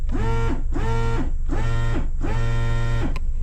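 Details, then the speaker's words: Aftermarket horn on a 2001 Honda CR-V EX with a B20 engine, sounded via a makeshift dash button; four short low buzzy honks with sagging, uneven pitch, weak and off, possibly a failed ooga horn or bad switch. "I don't know if it was an uh, like one of those uh, ooga horns and it stopped working. I don't know if the switch is bad."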